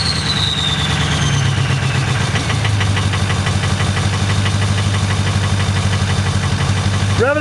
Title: 6.0L Cold Star with Bad Injectors